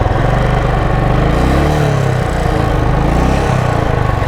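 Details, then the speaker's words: 2010 Royal Enfield Classic BS3 (first gen), 64,000 km on the meter, after storage, kick-started: the single-cylinder thump runs unevenly and bunches and sags instead of holding a steady idle. The carburetor has an initial lag from sitting and needs servicing. "നിർത്തിയിട്ടത് കൊണ്ട് കാർബേറ്ററിന് ചെറിയ initial lag ഉണ്ട്. അത് റെഡിയാക്കണം."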